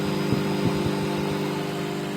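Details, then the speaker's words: Microwave test run after repair, heating water: steady low hum with even, unchanging drone and a few light thumps; magnetron and transformer running normally. "Yeah. So that is the magnetron. That is what gives it the heat."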